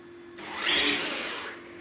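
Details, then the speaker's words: Traxxas TRX4 Defender RC crawler with Hobbywing AXE 550 3300kv motor and ESC, running indoors: quick rising electric whine swelling and fading within about a second as it accelerates hard enough to spin all four wheels; smooth, normal acceleration. "So it's so fast that it spins all four wheels."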